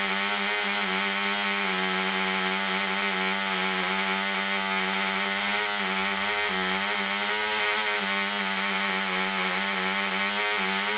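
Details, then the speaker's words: Small glow-fuel mouse racer engine, first test run on 24% nitromethane with a 5x3 prop, high-compression head and needle valve at three turns: a steady high buzzing drone with a slight burble. Running rich. "that sounded pretty good run it rich one more time and then we're gonna turn it loose"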